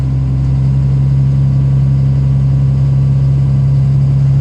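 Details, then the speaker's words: 2005 Dodge 3500, 5.9 Cummins common rail, built transmission with triple-disc converter, 4-inch exhaust no cat; steady idle with light even injector clatter over deep drone, unchanged with revs, louder under load; later solved with BD injectors. "it's got that fuel rattle I've read Lots about it on the forums lots of guys say they have it um common rails are just sort of like that underload it's a little more doesn't change with the revs"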